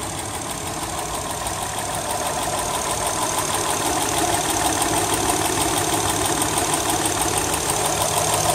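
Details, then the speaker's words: 2008 Honda Accord Coupe, 3.5L V6 at idle: fast, even, loud top-end ticking about three per second, louder on acceleration; cause unknown, owner has read it may need a valve adjustment. "I've been having some problems with the car and it's been doing this major ticking noise and I when I say major I mean it's really loud"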